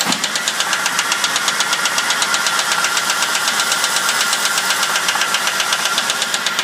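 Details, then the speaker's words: 2000 Crown Victoria started via bump switch on the solenoid as key start failed: loud sharp tick about four per second keeping pace with idle, valvetrain-type, cause unconfirmed; small passenger-side leak noted. "so it's got a real loud tick"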